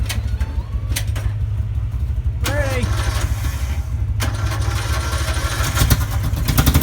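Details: Murray mower with a modified 12.5 hp Briggs single combined with 13.5 hp parts and a straight pipe, first start after the engine swap: fires and settles into a loud, rapid, open-pipe thump with blips, running strong and even.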